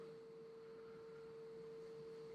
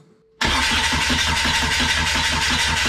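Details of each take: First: Kubota V2403 diesel swapped into TJ Wrangler, ignition on while bleeding fuel system after injection pump timing adjustment, bleed valve open: faint, steady mid-pitched hum of the electric lift pump running normally. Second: Kubota V2403 diesel swapped into a TJ Wrangler, first start after removing the injection pump and adjusting its timing: it catches suddenly after cranking and runs rough with an uneven knock, seeming to idle lower, with air in the fuel lines.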